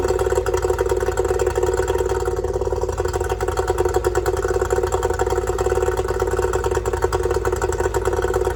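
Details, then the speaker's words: Yamaha two-stroke outboard after fixing oil leaking out of the bottom of the carburetor: no more oil coming out; fast, even burble with a steady crackle, no misses or hunting; normal idle before water test. "we can see no more oil hammering out the bottom carer sounds good go put it in the water guys see what she can do"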